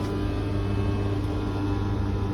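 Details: Beko tumble dryer running with a loud steady low hum and drone with several fixed tones as the drum turns; abnormal noise, cause unclear.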